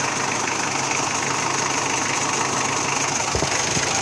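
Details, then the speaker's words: Mitsubishi Adventure diesel idling after its 8-blade radiator fan was replaced with a 10-blade fan: even idle with steady, stronger fan rush, and the earlier slipping noise is gone. The weak fan was blamed on its silicone oil clutch; runs smooth now. "Smooth na. Wala na rin yung ingay, no? Nawala yung ingay. Smooth na."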